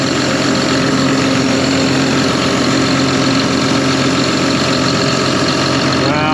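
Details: John Deere 7200R diesel after reassembly of the exhaust manifold and a new engine wire harness, first start after a loose fuel line was fixed, warming up: steady even idle, constant low drone, no ticks, puffs or hiss; healthy.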